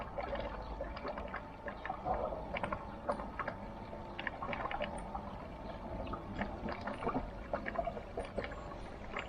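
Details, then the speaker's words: Air source heat pump pipework on a cold day of about 6°C, after a filter clean, pipes being lifted to purge air: irregular gurgling and bubbly pops over a water rush. Air lock, blamed on an overly long pipe run. "i'll lift the pipes very carefully and again you probably won't be able to hear it on the camera um but you hear the air come through there"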